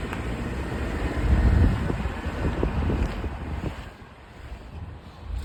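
Steady low road and engine rumble with some wind buffeting, no scraping or grinding from the wheels while driving; sounds normal.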